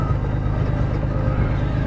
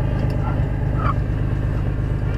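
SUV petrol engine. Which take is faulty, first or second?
second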